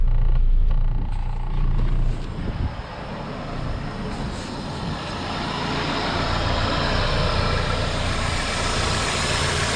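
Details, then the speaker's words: Toyota Corolla engine after serpentine belt tensioner replacement, idling in drive with AC on for extra load: steady low idle, dead quiet, no belt-drive rattle that was previously loudest under AC load. "ooh dead quiet oh this thing is as high as it freaking goes put this sucker in drive and ac on"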